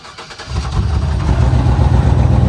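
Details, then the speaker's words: Chevy manual pickup restarted warm, five minutes after driving, known for smoke and oil burning: catches with a heavy, lumpy, uneven rumble that doesn't smooth out; rough start and idle, owner suspects PCV valve problem. "Starts rough. Well, now that time it didn't puff too much snow smoke, but it started rough. Shouldn't be doing that, right?"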